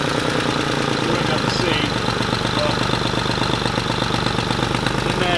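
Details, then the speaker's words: Twin-turbo Nissan 350Z (Garrett GT2554R turbos, Tial wastegates) at dyno, microphone pointed at car near one side: rapid ticking puff about three a second with raspy chuff, louder on revving, tractor-like on that side; exhaust manifold leak. "especially when you rev it, you can hear it blowing quite a bit. Like, it's way noisy this side. It sounds like a tractor this side compared to over here."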